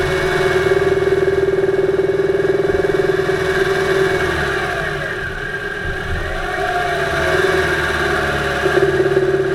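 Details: 2008 Subaru Impreza 2.5i, camera above the driver-side timing belt cover, during a drive: dull knock about three a second under light throttle, loudest near 2500 rpm at light-moderate load in any gear, absent below 2000 rpm; cause undiagnosed.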